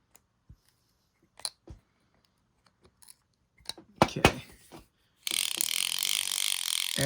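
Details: Light handling clicks then smooth even whirring spin with no catching or grinding from an Airex (Lionel) Vagabond Model 1 spinning reel after cleaning and lubrication, side cover screws loosened from stiff; reel turns freely and healthy.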